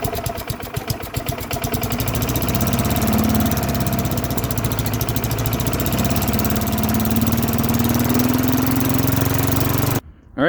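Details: Old Lawn-Boy mower, Tecumseh 4.5 hp four-stroke, sat 20+ years, started on slow throttle: catches and settles into a steady, even low-throttle run with quick putter; sounds healthy.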